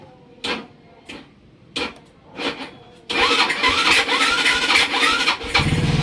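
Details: Rusi RFI 175 motorcycle with a new battery: four short cranking bursts fail to catch, then the engine fires on the next try and settles into a fast idle; hard starting.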